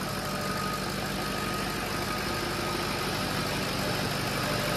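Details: Diesel dually pickup after a cylinder head job, first start with the cab back down and chargers on: steady, even diesel clatter at a settled idle, no misses or knocks, a little smoke; runs normally.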